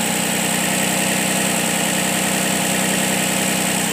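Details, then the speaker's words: Nissan Murano after alternator replacement for a suspected bad alternator, now charging: smooth, even idle with a steady hum and no knocks, squeals or misses; engine running healthy. "all right so this Nissan Murano is running all right"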